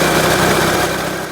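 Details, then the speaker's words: 2004 Renault Scenic 1.6 L petrol idling after intake manifold removal and MAP sensor replacement: steady, even idle with a smooth low hum, no hissing, leaks or hunting, stable RPM. Normal idle. "you can hear now the engine is either normal without any problem no hising sound or like that no leaking and the RPM is stable no weird noising so"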